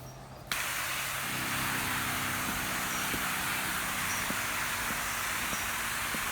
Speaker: You can kind of hear the motor running a little bit, and that is at about 3/4 on that knob that I showed you.